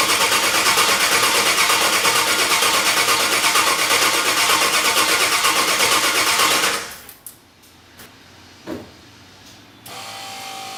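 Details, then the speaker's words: Engine cranks steadily at about three beats a second for several seconds but never catches; no fuel was reaching it, and a loose wire was found at the fuel pump. "Okay, there was no fuel getting to it, and there was a wire loose at the fuel pump."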